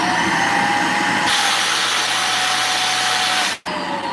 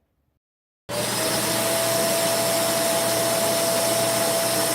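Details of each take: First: Vacuum cleaner with no suction: motor runs steady under a loud airy rush that jumps up and holds; air is escaping through the spring-loaded suction relief valve because of a clog. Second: Vacuum cleaner with a suction complaint, tested with the wand removed: steady high motor whine with no valve flutter, pulling hard through the bare hose; normal suction.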